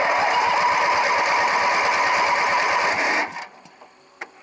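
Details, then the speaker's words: Craftsman 18 hp opposed-twin riding mower after a new starter solenoid was fitted, cranking with choke off: starter churns at a steady three-per-second beat for three seconds without catching. Started much better once the choke was pulled. "why Ain it starting all right okay let's try this again let's pull the choke out that was a lot better I should have knew better than trying to start without the choke on"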